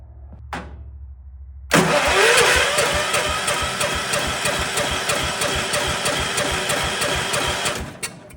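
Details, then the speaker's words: Old Kohler 4500 W generator with points ignition, cranking with the fuel line cracked open to check flow. Steady starter churn with about three compression beats a second, never catches, no fuel comes out; cranking no-start from fuel starvation. "Anything coming out of that? I didn't see anything. Well, that's a problem then."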